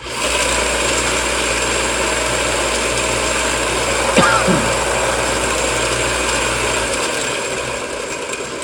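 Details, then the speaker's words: Sander with ball bearings: even smooth whir with steady mid-pitched hum, no grinding or screech; much quieter than before. "That is a lot quieter. I don't know if you can tell on camera. But that's a lot quieter."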